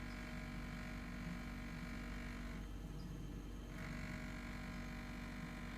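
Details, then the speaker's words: New Engel fridge, cooling fine: a low, steady compressor hum with a buzzy rattle on top that drops out when pressure is applied. Something loose is vibrating, suspected but not confirmed. "so there's this sound and if I apply just a little bit of pressure right here it goes away and seems to operate at a more expected uh loudness"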